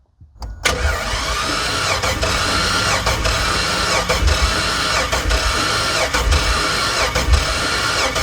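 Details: Chevy Avalanche 5.3 Vortec V8, blown: cranking with a heavy, lopsided beat about once a second that never catches; piston destroyed and a rod thrown through the engine block.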